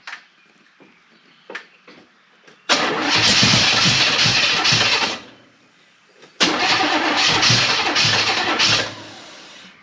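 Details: Chevrolet El Camino of unknown engine, bought cheap and jump-started, fed gas in the carburetor: two cranking bursts that catch briefly and die; ignition timing is off, the distributor is shifting, and fuel delivery is unsteady.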